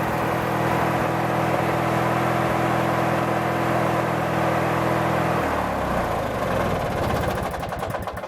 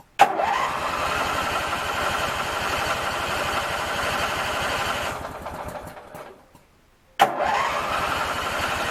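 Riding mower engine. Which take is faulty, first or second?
first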